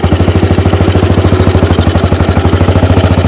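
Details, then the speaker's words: 1948 AJS 500 custom British single on a test ride pulling away in short first gear before shifting to second: strong, even thumps about ten per second, no rattle or miss; healthy running. "Nah, ciri khasnya ini teman-teman, motor Inggris itu gigi satunya napasnya emang pendek."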